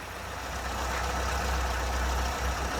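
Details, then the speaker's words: Mini after tune-up with new carburettor, modified ABX needle, 1040 oil in the dashpot, dwell and timing set: steady, even low idle with no misses, knocks or hunting; runs beautifully. "and you can see with a new carburetor this one runs beautifully so yeah very happy with that"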